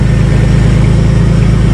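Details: 1994 Ford Taurus wagon running again after the fuel-pump plug fell off when the rusted gas tank dropped: low, steady rumble with an even pulse and no knocks or stumbles; normal idle.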